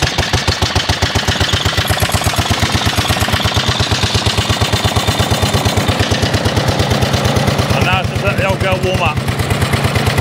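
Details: Vintage 1930s Dennis Z-type 30in mower, hand-cranked after sitting in a barn for a couple of years, choke just off. The single cylinder chugs cold with an uneven, popping exhaust beat as it smokes and backfires.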